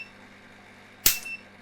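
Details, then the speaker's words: Tattoo laser power supply after repair: single sharp crack with hissy tail over quiet hum as flash lamp tube strikes an arc after two shots; serious power supply fault remains. "and the tube struck um interesting so I got two shots out of this and then the tube actually strikes an arc uh which is very very interesting"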